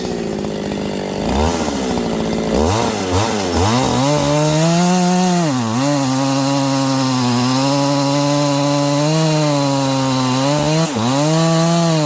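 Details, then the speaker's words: New Husqvarna 268XP chainsaw with a 24-inch bar, first cuts in wood during break-in: pitch dips and recovers, slowing down and speeding up as the fresh engine loosens. Uneven running during break-in. "You cannot listen in the first couple cuts. You can hear it. It's kind of slowing down and speeding up. This thing's starting to wake up."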